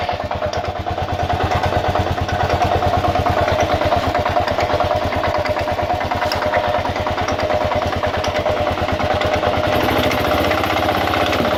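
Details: 2000 Kawasaki KLR650, about 41,000–45,000 miles, clutch plates replaced about 1,000 miles earlier, doohickey reportedly done, started 15–30 minutes before: single-cylinder idle thump about three per second with a metallic clack and rattle on each beat, cause unknown.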